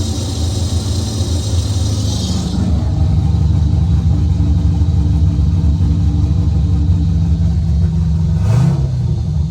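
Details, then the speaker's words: Car reassembled after suspected off-center transmission rear cover, in neutral, no tune: loud, deep, uneven open-exhaust rumble with a throttle blip near the end, running steadily. It had only needed some gas pedal to start and is now running healthy. "Now that's done. What it was needed gas. Has no tune, so we had to give it a little bit of gas pedal to get it going. And once you got it going, it would go."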